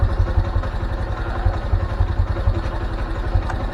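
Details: Honda Mega Pro after fitting a new aftermarket NIK clutch cable and adjusting free play, idling in gear: steady low thumping single-cylinder beat, even and unforced; clutch working properly.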